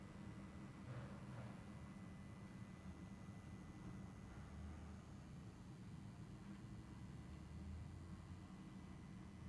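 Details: Schiit Magni 3 headphone amp: a faint, steady low hum with a thin high whine from its wall power adapter, recorded on an iPhone 8 at low volume.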